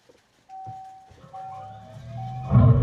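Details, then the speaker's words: 2024 Dodge Charger Daytona EV that failed to respond on day 4, started after its dead 12 V battery was charged back above 12 V: steady high chime, then the synthetic Fratzonic rumble swells; normal startup showing ready. "Oh! We have ready. It has started this time. You can hear that fret sonic."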